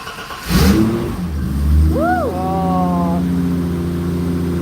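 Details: BMW 325i six-cylinder, already warm, started after fitting a new variable camshaft timing gear: catches on the button, blips up cleanly, settles to steady even idle, no knocks or misses; sounds healthy.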